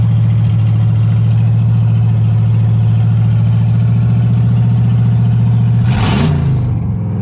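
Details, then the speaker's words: Ford 302 V8 for 1959 Ranch Wagon, just fitted with factory short-tube headers replacing exhaust manifolds, started by jumping starter: deep, even burble, one quick throttle blip settles back cleanly, no miss; normal running after header swap. "it runs oh that's all we needed to do and hear it run"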